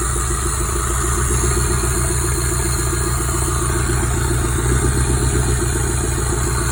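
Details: Toyota 5S-FTE four-cylinder after bearing swap to fix rod knock: steady, even idle with smooth low pulse and no knock; bottom end sounds healthy.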